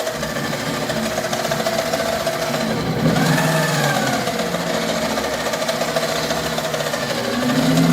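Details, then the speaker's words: 2-speed 7x14 mini lathe with original motor, cutting with lead screw engaged: rattling gear chatter from the gears while the motor speeds up and slows unevenly and smells of smoke; gears faulty, motor failing, to be replaced. "So the chatter you hear is the gears, and the speed going up and down is the piece of junk motor, and I can even smell it smoking."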